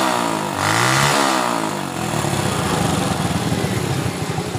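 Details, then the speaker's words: Honda Supra Fit motorcycle after spark plug work, previously stalling on throttle: catches throttle cleanly, revs rise and fall smoothly, settles into a steady even beat without stalling; running healthy. "sudah bisa di gas sudah tidak mau lagi atau gelap"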